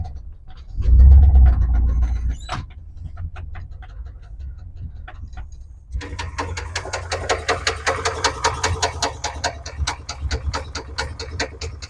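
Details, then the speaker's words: GMC C30 crew cab dually big-block V8 with a spun bearing: starts, then runs rough with a sharp, steady bottom-end knock; rod knock. "Yeah, so I don't know how well you guys could hear that, but like I said, it is not happy, so it's time."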